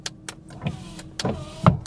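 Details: 1985 Jaguar XJS V12 revived after 30 years stored, corroded fuse box partly cleaned: short window motor whir between relay clicks and a thump at end of travel; power window runs up and down normally.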